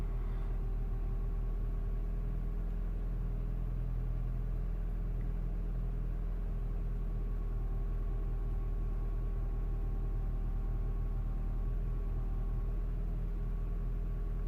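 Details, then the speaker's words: Mini One R56 with its 1.4 swapped for a 1.6 engine, rest left from the 1.4, complaint of low power and poor idle: cold start fast idle, smooth steady hum, revs dropping and holding, no ticking or misfire; runs perfectly. "shouldn't take much longer to start to drop the revs there we go no yet no it's coming down out let's see if he holds the revs without perfect look at that you might not be able to heal the engine guys but I can hear the engine absolutely perfect perfect nothing wrong with it"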